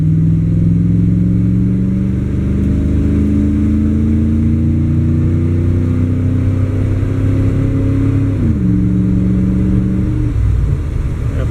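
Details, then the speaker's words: 305 V8 after distributor hold-down stud repair, driving: smooth engine note climbing with road speed, clean drop at gear change, no pinging or misfire; pulls pretty good. "pretty good for a 305 and i get no pinging"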